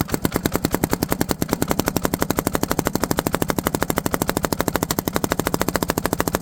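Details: Tow-behind lawn mower with its own engine and five-foot steel deck, struggling to run: hard, even popping at about a dozen beats a second as exhaust blows back out through the carburetor; valve seating to be checked.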